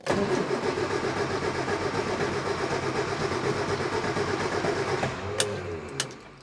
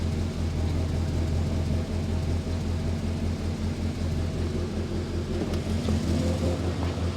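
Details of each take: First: Morris Minor after engine swap, first start attempt with choke out: steady cranking chug about two to three beats a second for five seconds, no catch, then winds down; no-start, started on second try. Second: Morris Minor after engine swap, once the choke is pushed in; smooth, even low idle with steady deep thrum, no misses, knocks or rattles.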